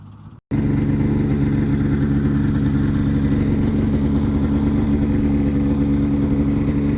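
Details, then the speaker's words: 2006 Polaris 700 IQ Classic two-stroke snowmobile, heard outside, running after sitting once its weak battery was charged. It holds a steady, even drone with constant pitch and no misses or knocks. Finding: normal running. "So I got it all running now. As you can probably hear it outside. All it took was a little bit of a charge to the battery because the battery didn't have enough power."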